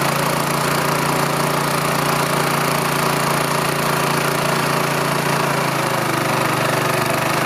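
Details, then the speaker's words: Rolair gas-engine air compressor with Honda engine, unused for years, running after a carburetor cleaning; single-cylinder engine holds a fast, even beat with a steady hum as the compressor builds air. "Alright, you hear the air. I'll have to say that's an easy fix."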